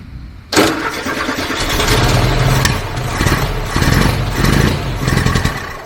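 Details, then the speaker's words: 1982 VW Gol LS, newly installed dual 34 mm carburetors, first start with valve clearances out of adjustment and ignition timing off, to be redone cold: lumpy idle surging and sagging about every second. "Então o carro vai dar partida com válvulas desreguladas e fora do ponto."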